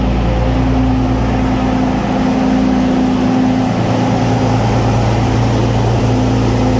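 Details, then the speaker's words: Restored Centurion tank main engine start, not on original fuel tanks, oil pressure good and climbing: steady, even fast idle with a deep, smooth rumble and no knocks or misses; healthy. "brilliant there we go so that is that was the main engine in all of its Glory sounding awesome and perfect"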